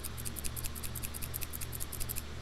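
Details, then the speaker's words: FolgerTech FT-i3 Mega 3D printer during its build: crisp, rapid rattling clicks, about ten a second, as a bad, worn linear bearing is slid by hand; a replacement bearing later made the bed move smoothly. "we have no blue smoke it's safe to touch metal things and oh here's the bad bearing hear that rattling"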